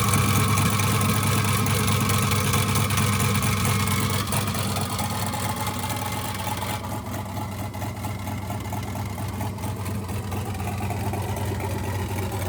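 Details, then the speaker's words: 1967 Chevy C50 turbo LS V8, Holley Terminator X EFI, 7875 turbo, first start: loud lumpy choppy idle about two beats per second with cam chop and faint turbo spool whistle; healthy. "It sounds freaking amazing. You can hear the cam chop, and you can hear the turbo spool at the same time."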